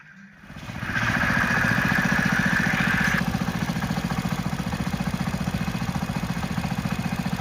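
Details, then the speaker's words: Hero Splendor Plus motorcycle engine started, revved briefly, then idling with a deep, even knock about 220 per minute; mechanic identifies it as a crank sound rather than a weight sound. "तो guys जो सुन लिया वो sound उसका crank का है। अगर आपकी गाड़ी में ऐसा साउंड आए तो आपको समझ लेना चाहिए कि आपका इंजन का क्रैंक का साउंड है।"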